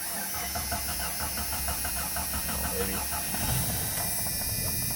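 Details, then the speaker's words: 1993 Jeep Cherokee 4.0 High Output, sat 15 years, no fuel in it: sprayed with ether, it catches and runs unevenly for a few seconds, then fades. It is starved of fuel. "and she runs need fuel just needs fuel all right not good that it sounded good yeah it sounded smooth it did"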